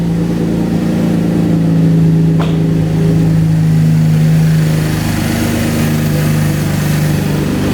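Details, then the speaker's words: 2012 Chevrolet Camaro V6 idling right after new alternator and serpentine belt, charging voltage higher than usual: smooth even idle hum, no squeal, chirp or whine from belt or alternator; normal idle. "I don't hear any crazy sounds. We're gonna take this guy for a drive."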